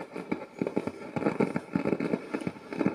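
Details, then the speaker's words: Musician's sound amplifier, powered on, before the pots are cleaned with contact spray: irregular scratchy pops and crackles burst out as the bass knob is turned, from a dirty potentiometer; one knob is also loose. "fait vraiment des des craquements"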